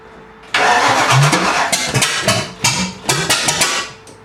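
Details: 5.0-litre V8 swapped Miata, first start with fuel pump on: starter cranks, then ragged uneven firing bursts that catch and fade without settling; hard start from distributor ignition timing a tooth off.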